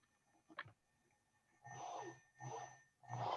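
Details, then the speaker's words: Lawn tractor robot steering DC motor after PWM changed from 500 Hz to 20 kHz: short bursts of low, even motor hum as it turns, without the earlier high-pitched squeal; motor sounds normal. "you can hear the motor still squealing [Music] not anymore it's uploading there it's done uploading and now if i turn it nop now it sounds like this"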